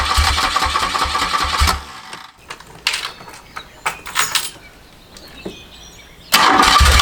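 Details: 1981 BMW R100RS with Krauser 4V head conversion and Bing carbs, first start after nearly a decade stored, fresh 93-octane fuel, new oil and brake fluid; stumbling cranking bursts, then catches into steady rough idle.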